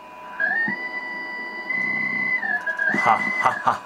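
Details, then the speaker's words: 1960s Codar CR-66 five-valve ham receiver under repair, IF/BFO stage faults, IF detuned and feedback capacitor checked: clear whistling BFO beat tone, roughly steady then wavering and drifting in pitch; oscillator works but not stable. "ha so then that sounds like we're getting somewhere so good good stuff though it's not very stable"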